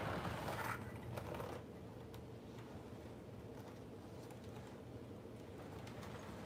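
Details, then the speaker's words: HO model train locomotive motor on a layout makes faint, irregular high chirps over a soft running hum; squealing has persisted after oiling motor bearings in the past, so owner suspects worn gears rubbing at odd angles. "But there have been times where I've oiled the motor bearings and they've continued to make that sound. So I think it could be when the gears wear down, they might start to rub at funny angles."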